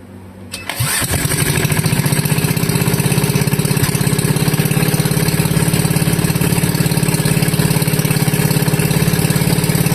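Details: Wisconsin Model AB engine running on fuel from the tank, fuel petcock barely cracked, choke open: fires on the first pull and settles into a loud, crisp, even unmuffled exhaust beat; runs smooth and healthy.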